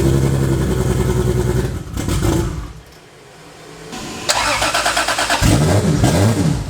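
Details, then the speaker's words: Toyota 2JZ turbo six in a Holden VL Commodore, first start in eight years after wiring work; cranks, catches and revs with a choppy beat and drop-out, running on five cylinders; engine misfire. "it's bloody runs which is the it hadn't done that for like eight years which is awesome for me it was until I was on five cylinders there"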